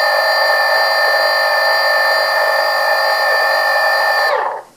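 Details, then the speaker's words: RCTimer 2830/11 1000kv brushless motor on a 450 quadcopter, run on a CD case: steady high whine with faint intermittent periodic pulsing wobble, then spin-down; owner suspects imbalance, zip-tie balancing and swapping ESC didn't help. "it's just making this intermittent um periodic sound that just sounds different from the other motors"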